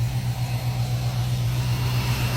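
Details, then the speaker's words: Dodge Charger after its rebuild, idling once finished: low, steady, even drone with no knocks or rattles while fingerprint oil burns off the headers; engine sounds pretty good. "that's that's blowing from there son sounds good though sounds pretty good"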